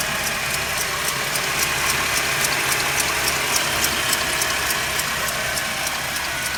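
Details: Mercedes W204 with M271 engine on a cold start: sharp, even ticking about three and a half times a second over the idle; cold-start knock, cause not yet identified.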